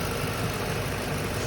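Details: Stock, unmodified 2007 Ford Mustang GT V8, recently bought: brief steady, even low rumble with no misses or knocks. Normal warm idle.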